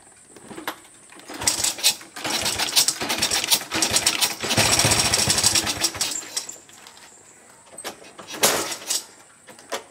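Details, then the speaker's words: Honda Supra Fit motorcycle bought wrecked, cam chain and piston reportedly worn, smoking heavily: engine fires in ragged bursts, surging and sagging, won't hold idle even with throttle; unstable stuttering idle. "jadi dia gak langsam guys jadi dia tuh kayak gimana ya ya teman-teman Dengarkan aja bunyinya jadi dia gak langsap dia kayak ada nyat-nyedat"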